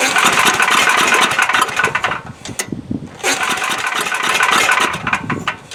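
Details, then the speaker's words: Coleman Powermate Maxa 5000 ER generator, old 10 hp engine, new replacement carburetor, fuel dropped into cylinder: two recoil pulls with fast chuffing but no firing; spark plug found dry, no fuel reaching cylinder; fuel-starved no-start. "here I thought I had everything ready to go get fire yep plugs dry so nothing's getting up to it"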